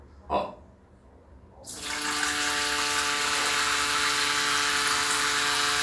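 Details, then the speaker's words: Lorenzetti Belo Banho Ultra electric shower with the new comb-style heating element: steady buzzing tone with high hiss under fairly low water pressure; owner believes water striking the element makes it vibrate, source unconfirmed. "eu acredito que a água quando bate e faz vibrar e fazer esse barulho estranho"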